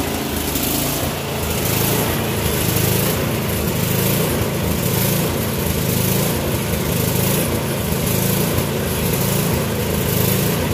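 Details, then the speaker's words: Troy-Bilt small two-stroke after clearing air vent, modifying the float for steadier fuel flow and new spark plug: steady high-speed buzz with a slight slow surge about once a second; running about as well as it will without new carb parts. "i do believe we got this running about as well as it's going to get without getting too involved with uh new carburetor parts"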